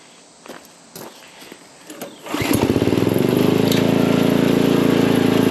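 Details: Craftsman dual-tine tiller, 9 ft-lb LCT engine, after repairing mouse-chewed ignition wires causing no-start, spark plug refitted, air filter off: handling sounds, then engine catches and settles into even steady putter without misses; healthy running.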